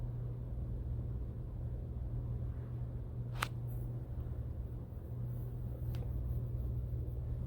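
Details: Hunter ceiling fan after repair, where fins hitting a wire had caused years of squeaking: only a soft, even low hum with faint handling clicks, no squeak or tick. The fan now spins quietly.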